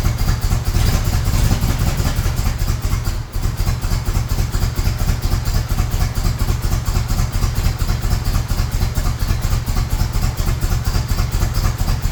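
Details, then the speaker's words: 1978 Chevrolet Monte Carlo SBC 305 (5.0) V8, rebuilt 2004 and probably under 50 miles since, rebuilt Edelbrock Performer 1406 carb not yet adjusted; low, loping cold idle pulsing about twice a second with a brief sag, struggling to keep running. Stalling on cold start, cause unconfirmed. "Technical difficulties on the cold start, so let me see what I could do and get it going, and then we'll get back on. After many tries, I finally got the Monte to stay on."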